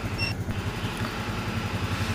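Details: Honda Scoopy scooter (owner complains of high fuel use) at steady low idle after fitting a new injector and adjusting the throttle body until engine data reads normal; soft, regular putter, no hunting or surging: normal idle.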